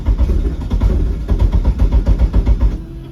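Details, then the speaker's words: Eagle Talon engine on a DIYAutoTune MegaSquirt ECU, fixed timing at 10°: the starter churns steadily at nearly four beats a second, the engine never fires, then cranking stops. No-start from lost crank sync. "Let's see how that goes. Still just desyncing."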